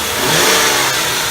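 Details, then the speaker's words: Ford 4.6 V8 Grand Marquis after a 10-minute run, following repair of an intake coolant leak causing a cylinder 4 misfire (top sealed with superglue): even revving, clean exhaust note, no stumble; no coolant dripping at the firewall heater-hose brass nipple. "so here it is running after 10 minutes there is ZERO dripping over by the little brass sniffle there where the heater hose goes into fire wall it's running perfectly"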